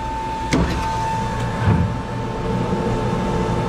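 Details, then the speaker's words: Three-phase water pump motor after reversing phases to correct rotation, drawing about 11.8–12 amps with 16 amp overload; steady even hum with clean constant whine, no knocks or grinding, no smoke; normal running. "come on come on sounds good and i don't see no smoke so that's on"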